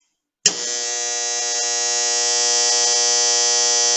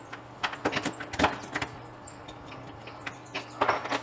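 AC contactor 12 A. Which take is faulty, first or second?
first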